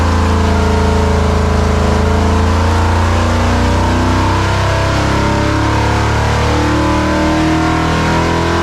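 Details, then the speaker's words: Rebuilt 1968 426 Hemi V8 on dyno, hydraulic roller cam, two Holley carburetors, pull to 5,000 rpm: 510 lb-ft at 4,300 rpm, 466 hp and climbing, oil pressure good; loud, deep, even roar without knocks or rattles; normal full load. "okay here we go oh wow we've got some good torque numbers we got 500 4300 RPMs we got 510 foot PBS of torque and a horsepower at 5,000 and it's at 466 it's still climbing"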